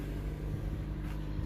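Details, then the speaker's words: Car with no spark or fuel for months running after a $20 part replacement (distributor not at fault): low, even rumble, no misses, knocks or stumbles, firing cleanly; normal running. "we got this thing running and it runs beautifully talk about fired up"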